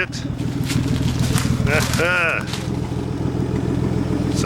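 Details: 1950 Dodge straight-six, first start in 40 years, running after a hard start: steady, even low rumble, no knocks or misses. All six cylinders sound like they're firing, oil milky, engine neither hot nor cold; a little rattling heard, cause unknown. Normal running.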